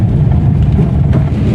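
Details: Old-model Maruti Alto driven on a rough road after replacing worn lower arm ball joints and steering ball joints: steady low road rumble with no knocks or clunks; front suspension now quiet.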